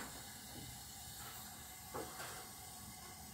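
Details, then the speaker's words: Natural-gas Modine unit heater, heard with the bottom cover open: steady burner hiss with the flame lit, but no blower whoosh. The fan should start once the elements heat, otherwise the high limit cuts the flame. Blower fan not starting. "the fan is not coming on so let's find out why the fan is not coming on for now"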